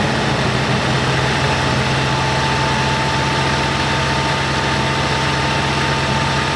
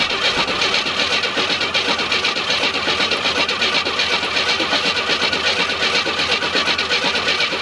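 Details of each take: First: 1987 Oldsmobile Cutlass G-body revived after sitting, after a stuck check valve in the fuel filter was found blocking fuel and the filter was refitted: even, steady, quiet idle with a low hum and no misses, knocks or ticks; normal idle. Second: Abandoned 1987 Oldsmobile Cutlass V6 started on gas poured into the carburetor; the gauge reads 3/4 tank but the tank seems empty. It runs rough about twelve seconds, then stumbles and quits: fuel starvation.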